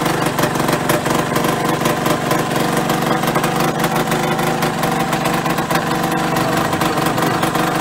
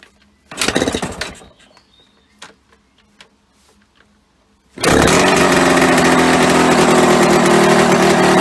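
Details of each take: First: Yamaha RD125LC two-stroke, first run after standing 17 years (engine had seized when parked): busy, crackly note holding a steady fast idle with no knocks or misfires; runs fine, oil light was on. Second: Yamaha RD125LC two-stroke after standing 17 years: after a few clunks it catches and holds a fast, busy, steady buzz, idling too high; owner plans to turn the carburetor side screw to lower revs, also suspects an engine oil leak.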